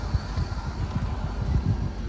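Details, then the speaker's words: 18-year-old Hyundai Santro Xing, parked for years, cold start in neutral after its misfire repair, which included replacing ignition coil wiring. A steady, even low rumble with fine regular pulsing. Normal smooth cold idle. "ये देखिए बिल्कुल smooth condition में है। अभी तो ये cold start है। क्योंकि ये बहुत टाइम बाद स्टार्ट हुई है कार भी।"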